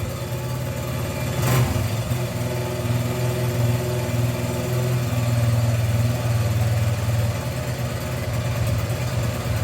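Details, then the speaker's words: 1981 Honda XR100 after valve adjustment, extreme cold start after sitting for weeks in 20s–40s°F weather: fires on first kick at half choke, small even thumping at fast choked idle with one light blip, no ticking or knocking; normal cold-start idle. "Oh. How about that? First kick. Of course it did stop, but that was my fault. It didn't even need full choke."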